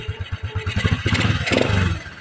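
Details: Alpha motorcycle engine idling evenly with steady low thumps and a brief throttle blip after repair; connecting rod, needle bearing, shaft and clutch lining and housing were replaced and all gaskets renewed, curing the earlier very loud engine noise.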